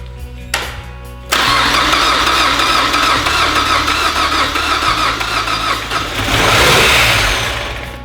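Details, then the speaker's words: 2007 Mazda Miata with swapped 2.5 engine, first start on open header: catches, runs rough, races to wide-open throttle and cuts off; vacuum leak, later found to be the unplugged PCV valve. "cranks up and dives yep it just goes wide open throttle and cuts off must be another vacuum leak"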